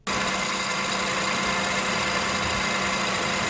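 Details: 2005 Acura TSX idling with AC on, before belt replacement: steady hissy high-pitched chirp from the belt side, also on initial acceleration and steering at standstill; 4-year-old belt not cracked but worn and stretched. Serpentine belt chirp.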